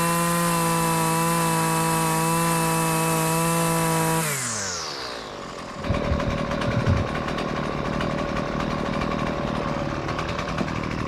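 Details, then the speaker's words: Husqvarna two-stroke gas weed trimmer, about 20cc, gas-oil mix, after adjusting idle, low- and high-speed carburetor screws to fix stalling at idle: holds a strong steady high rev, winds down smoothly and keeps running; well tuned. "now I had to mess around with the screws a lot to try to find the perfect spot where it would idle at a good speed and then rev up nice and easily"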